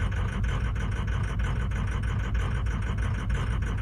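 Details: 2003 diesel truck, 310,000 miles, cold start: deep rumble at idle with faint uneven pulses about once a second; P1000 code, IPR at 84% while cranking, suspected bad injectors or wiring.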